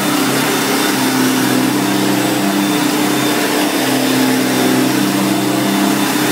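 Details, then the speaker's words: 1990 Electrolux 616 Electronic Z616AE vacuum: steady even motor hum, motor runs well; brush roll bearings somewhat growly and rattling, possible hiss from a loose soil plate screw. "so as you can hear it runs really good um the brush roll bearings um are a bit growly as you could hear them sort of rattling and vibrating away in the background when I was using the tools"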